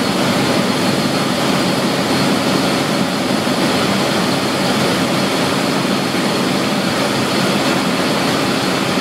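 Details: Centrifugal pump at best efficiency point, with inlet pressure first falling then rising: a steady, even hiss with a gritty crackle and no rhythm. Cavitation on the impeller blades.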